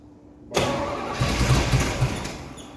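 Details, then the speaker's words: 1982 Firebird Trans Am 305 V8, unrun for 12 years, catches on carb cleaner and poured gas, runs rough for about two seconds, then dies. The carburetor leaks fuel heavily, and a dead fuel pump or lost vacuum is suspected. "There we go, it wants to run. Let's dump some gas in and see what happens. Not a vacuum. I notice it's leaking out of the carburetor, but we'll see if it runs. It doesn't want to stay running."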